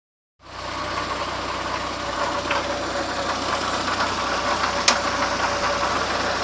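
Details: VW Gol "bola" 1.0 idling: light, fairly fast, not quite regular tapping over the hum; noise recently started, owner doesn't know the cause.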